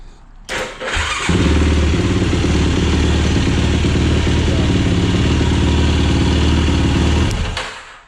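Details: 2007 Yamaha YFZ450 SE after new starter solenoid, key ignition converted to one position: short starter churn, then the single-cylinder fires right up and holds a steady, even idle; normal start and idle.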